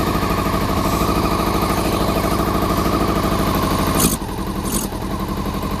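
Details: Honda CBR400RR NC23 four-cylinder, just started on petrol poured down the fuel pipe plus carb spray, water leak: rough, uneven, stumbling idle, firing only on cylinders one and two; three and four stone cold, not firing.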